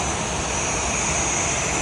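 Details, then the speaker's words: Restaurant kitchen exhaust hood, grease filter put back in place: steady loud rushing air with a hollow sucking note, no rhythm; clogged grease filters restrict airflow, making the fan and PCU work harder; needs full cleaning and PCU filter replacement. "It's making the fan and the PCU work harder than it should."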